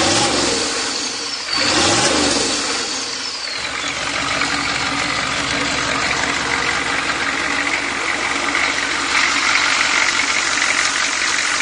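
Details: 6.2L diesel V8, bought from a friend after sitting over 10 years, originally knocking from weak or stuck injectors; here it revs briefly, then settles into a steady, even idle with no obvious knock.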